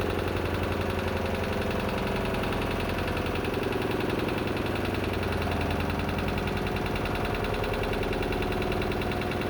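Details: Lister diesel emergency air compressor on the M/V Steve Irwin under load compressing air (nameplate 24 bar): deep, heavy, even thumping about three to four beats a second, pulling hard against the compressor; normal running under load.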